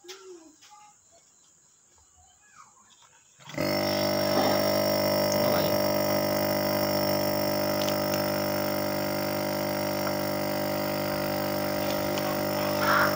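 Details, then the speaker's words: Refrigerator compressor that hummed without starting while drawing 5.8 A instead of 0.8 A (windings, PTC and overload tested good): after reconnecting with the original PTC it switches on with a steady, even hum. It runs normally. "Sekarang kita tes lagi apakah dia menyala dengan normal. Oke, ternyata menyala ya."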